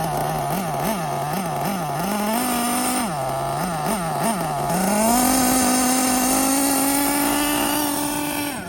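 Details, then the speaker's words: Losi LST nitro RC truck, first run running rich after flywheel fix: high nitro buzz jumps and drops in short surges, then holds rising tone; intermittent drive slip and lunging, owner suspects transmission. "It's weird though. It's intermittent. There you go. You can see see it lunging right there better."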